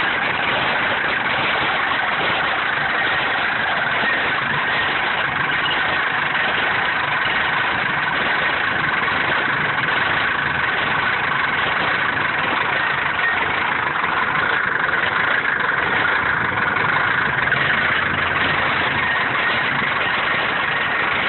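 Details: Mercedes 240D diesel idling with a steady clatter, its beat slightly uneven rather than smooth; the cause of the rough idle is unknown.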